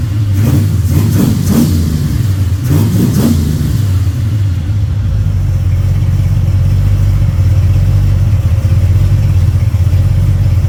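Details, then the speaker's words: Freshly built 302 Cleveland V8 with Holley Sniper and new electronic distributor, on first start after slow cranking: a few quick revs, then a deep, even rumble at fast idle with no knocks or ticks; cam running, engine healthy. "Cam is running, engine sounds sweet. You beauty. There you go. Done. Success. I'm pretty happy with that."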